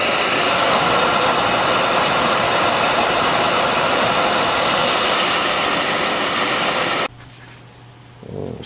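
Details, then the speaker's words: Beckett oil burner, Honeywell R7284U primary control, post-purge set to one minute after the transformer shuts off. An even motor hum runs on after the flame is out, then cuts off cleanly to standby. Normal post-purge cycle. "Transformer shuts off a limit post Purge I got it set for a minute so it's going to run for a bit"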